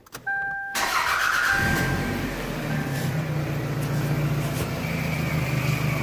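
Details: 1998 Toyota Camry after water pump and timing belt replacement (suspected engine bearing failure was actually water pump bearing debris); cranks, fires quickly and holds steady, even idle with no knocks, rattles or bearing noise; normal start and idle.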